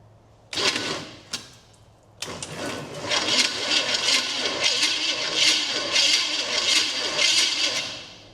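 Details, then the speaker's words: 1972 Chevrolet Chevelle with a high-compression Chevrolet 350 that had sat since 1982, cranked for the first time on a swapped battery because the old one read 10 V: starter whirs, even compression pulses, no binding; the engine rotates freely. "It goes all the way around pretty easily, actually."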